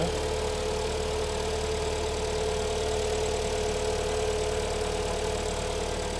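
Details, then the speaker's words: Kia Sportage 3, AWD automatic, about 180,000 km, first start after engine rebuild: cold idle in park, steady mid-pitched hum from the automatic gearbox; low fluid suspected, unconfirmed, and noise reportedly disappears when Drive is selected. "вот коробочка урчит холодная может быть масло Маловато там"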